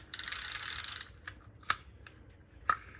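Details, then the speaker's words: Daiwa Sealine 50H fishing reel after reassembly with new drag washers and oiled bearings: quick crisp run of drag clicks then single ticks as spool turns; drag tight with slight play, working normally. "So you want a little bit of slop. You want to hear that. You can tighten it a little bit. It'll slow the spool down."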